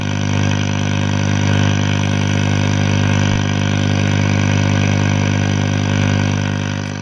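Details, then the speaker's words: Scharnberg Strauss radiogram being restored, powered up gradually to about 200 V: constant deep hum with faint hiss, audio and RF present but no stations received; owner suspects the local oscillator isn't running. "Sounds like we've got RF, but uh but we've got no stations. We may not have an oscillator running."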